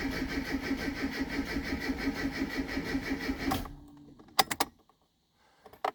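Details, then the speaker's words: Classic Mini MPI after in-tank fuel pump swap, about 8–9 litres of fuel, pump heard priming; long rhythmic cranking about four turns a second that never catches; crank no start due to flat battery, started after charging. "the fuel pump going i would expect it to start by now so i'm a bit concerned [Laughter] i have a flat battery right let's charge the battery and then go again"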